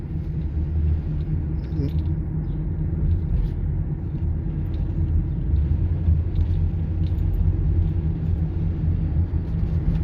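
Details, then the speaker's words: 2009 Toyota Sienna FWD 3.5L V6 coasting off throttle: low steady droning rumble with a wobbling sound, present at any speed; owner suspects a worn front wheel bearing, probably passenger (right) side. "It's like wobbling sound if you drive at the quite uh like uh not too much cars in the road."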